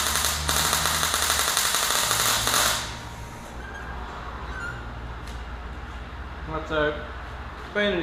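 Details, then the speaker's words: MyMag Mate 150 inverter MIG welder at 72 A and 24 V on a Dyna tow truck project, expected to crackle more at this setting: steady even arc crackle with fine rapid sputter, no harsh bursts; smooth, consistent MIG arc. "But you hear it's just smooth, it's consistent."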